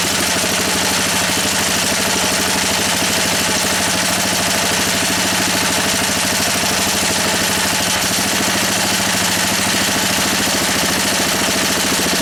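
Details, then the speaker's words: Honda E300 generator engine idling steadily with a busy rattle against a fence and a slightly uneven beat; runs well enough but needs its carburettor cleaned. "You have to run this a minute, it really wants the carburetor doing, as I think you know. But it works well enough."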